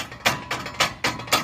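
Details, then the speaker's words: VW Polo TSI front-end noise: sharp, tinny rattles in bursts every quarter to half second, from a loose rivet under the bumper reinforcement that loosens over dips; fix is replacing rivet with bolt and nut. "ele tem um Rebite aqui embaixo pessoal ó aqui embaixo ele afrouxa numa batidinha não quando você pega uma valeta alguma coisa e fica esse barulho chato aqui ó a gente vai tirar esse Rebite e vamos colocar um parafuso com porca fechou"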